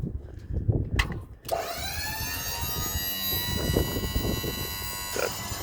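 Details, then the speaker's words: 1965 Ford C850 truck dump-bed hydraulic pump, electric, installed new under a year ago, mounted under the chassis with heavy-duty wiring; key on, motor whirs up to a steady even high hum, pump out of fluid so bed won't lift; normal pump running. "I'll turn the key on here and you hear the pump run. Pump is brand new. I just installed this not even a year ago."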